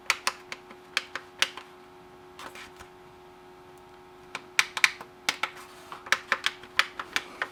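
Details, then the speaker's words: M&S Systems Model N350 1980s music intercom master station, after its failed bubble switches were replaced with new tactile switches. Buttons are pressed in quick runs of about three a second, each snapping cleanly over a faint hum. Switches work properly. "okay i think they're all pushed down far enough let's try for the last time they all work they'll go click click click when you push them which is exactly what you want"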